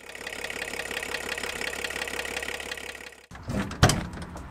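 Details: VW LT diesel van idling with a hard, regular knock on every firing stroke, well above normal clatter; engine damage is feared, and the source of the knock is not yet clear.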